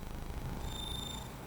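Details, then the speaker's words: Commodore 64 diagnostic SID test gives a low rough buzz with a thin high tone instead of clean notes. The SID chip is dead, while the VIC and CPU appear to work. "oh it's doing the Sid test well that sounds bad yeah"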